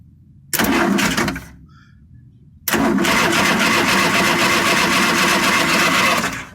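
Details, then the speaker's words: Vanagon 2.0 ABA engine that quit on the road, spark tester fitted: two bursts of even cranking with no firing; no spark, bad distributor ignition module found. "no spark on it so either something happened with the solenoid or maybe a wire or maybe the distributor who knows"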